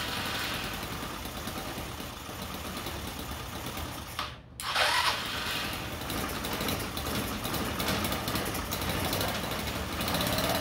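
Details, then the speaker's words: GY6 engine on a trike, after replacing the open exhaust with a full muffler and fitting cooling shrouds and fan: brief crank, catches, then settles into a steady muffled idle, much quieter than the open pipe; normal idle. "so as you can see it's much quieter now compared to it just having an open pipe on there so that's good it doesn't sound too bad"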